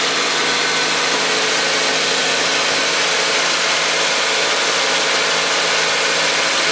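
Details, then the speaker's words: Car engine with bad connecting rod bearings, revved slightly above idle: dull loose knocking/hammering under the hum, appearing intermittently with more revs; rod bearing failure. "Okay, and now engine is running well, but then when I accelerate a little bit more, this engine starts to keep that fart sound."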